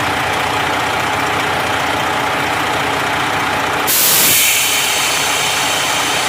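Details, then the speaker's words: Freightliner Columbia diesel idling after cleaning air dryer that wouldn't build air pressure: sharp loud hiss of air bursting out and fading over a second; air dryer purging normally. "Should hear it purge any second. There it went. Okay. I'm gonna say we're good."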